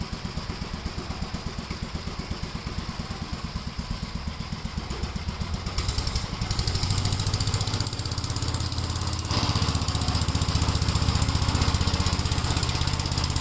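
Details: 1957 Gravely with a smaller 12-volt battery fitted, mowing soaked grass: a strong, regular single-cylinder thump at about four beats a second picks up firmly as load comes on. The healthy engine cuts easily with power to spare.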